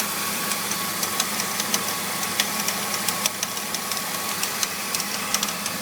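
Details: BMW E46 325i petrol engine idling after new pulleys, serpentine belt, radiator and power steering pump: light, uneven metallic ticks and rattles over a steady whirring hiss. The cause is unknown.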